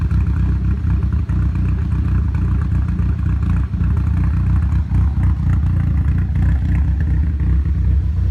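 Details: Nissan Silvia S15 after complete respray with engine removed and reinstalled, ran perfectly before removal: deep, uneven idle with lumpy stumbles and loose clatter; rough idle, cause still unknown.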